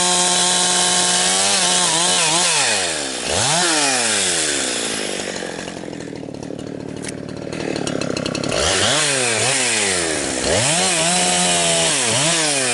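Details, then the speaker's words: Husqvarna 362XP Special chainsaw with Walbro carb, cutting firewood. Revs climb in a rising scream, then break into a rough gargling stutter near the top before recovering. This is worst when limbing and fine near 9,000 rpm in big wood; the wrong ignition coil causes the four-stroking at the limit. "Where you really notice it is when you're limming. Uh it's not bad when you when you're dogged in if you're on a big piece of wood somewhere. I noticed that it uh your RPM range drops down into the 9,000 range or somewhere in there."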